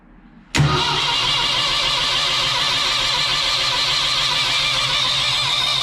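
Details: 1968 Ford 5000 diesel tractor, barn find sat 10 years, first proper start after garage restoration work: catches immediately and settles into a steady, even idle with no knocks or misses; sounds good.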